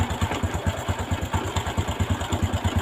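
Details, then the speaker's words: Honda Revo Fit/Absolute carburetted single-cylinder at idle: lumpy idle about two beats a second with a dry clattering rattle; loose cam chain, which has broken through the engine block. "untuk penyakit motor ini yaitu rantai klepnya kendor kretek-kretek ya yang lebih parahnya lagi di bagian belutnya itu sampai jebol nih ya"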